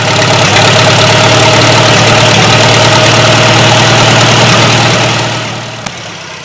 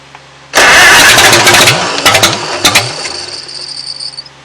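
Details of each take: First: 1940 Farmall H tractor just after its first start in a number of years on a temporary fuel tank: settles into a steady, even idle with a smooth low thump and no knocks or misses. It fired up easily, and the owner says it should need hardly any work. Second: 1940 Farmall H at its first start in at least eight years, fed from a temporary fuel tank. It catches with a loud burst, then sputters and coughs unevenly; the carburetor float keeps sticking and it probably flooded.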